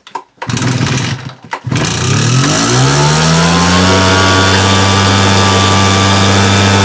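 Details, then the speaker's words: Husqvarna 580 BTS backpack blower, two-stroke, brought in leaking fuel: starts, then settles into a fast buzzing run with a regular knock about twice a second at low revs; engine knock indicates internal failure, cause unconfirmed pending teardown. "вот характерный суук прекрасно был слышен на низких оборотах тут уже естественно понятно что какая-то случилась беда"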